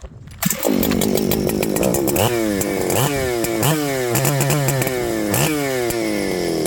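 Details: Ported Husqvarna 394XP chainsaw with runability issues after fading out, kill switch unplugged to rule out grounding: revs in surges, each throttle blip sags and stumbles before picking up; bogging persists, so not the kill switch, cause still unknown.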